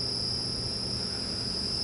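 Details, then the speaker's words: Motor on a Hitachi VFD vector drive, running forward, programmed to ramp from 0 to 60 Hz in 20 seconds: steady, piercing high whine over a low hum with no knocks or grinding; a normal ramp-up. "we're starting to ramp up up until 60 HZ in 20 seconds"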